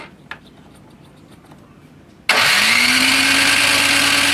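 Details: Curbside Toro Power Clear 621E snowblower, 163cc OHV four-stroke, water in the leaking carburettor bowl: starter spins up to a steady, even crank with no firing pulses; cranks but won't start.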